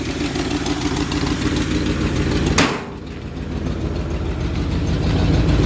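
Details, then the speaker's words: 1952 Ford F1 truck with modified 351 V8, idling; deep, steady lumpy exhaust pulse with no knocks or ticks, heard at the rear, a small exhaust leak on the right side: normal healthy idle. "so you can hear that really like the sound of the exhaust back here just got a nice old truck sound to [Music] it that's a 351 modified engine"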